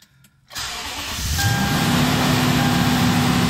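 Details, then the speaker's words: 2010 Toyota Tundra 4WD, 1UR-FE 4.6 L V8, 227,000 miles, started after throttle body cleaning: catches after a second, fast even idle staying high as expected, should drop gradually; secondary air injection pumps running. "you will see finally the mileage and we will watch the RPM it will be super high in beginning and if you let it idle it will go down gradually slowly"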